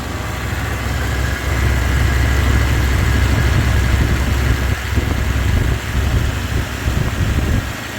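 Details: Carbureted Ford pickup V8 with a long exhaust, after a new accelerator pump diaphragm and air filter: low, even idle rumble with a soft steady exhaust note, no knocks or misses; very quiet, normal idle.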